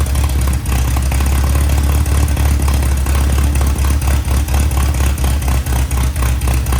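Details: 1961 VW Beetle barn find air-cooled flat-four, revived after long sitting, choke partly on: revs up and settles with a steady, even beat, no sputter at higher revs; running healthy, pipes all hot.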